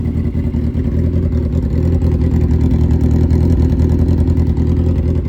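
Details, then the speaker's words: Suzuki Hayabusa, fully built engine with aggressive cams, after cleaning clogged fuel filter, now revving all the way through: deep uneven loping idle with slight swell in revs; normal lumpy big-cam idle, no mechanical rattle. "doesn't sound correct. Well, what I can tell you is she's got a fully built motor with a wicked set of cams in."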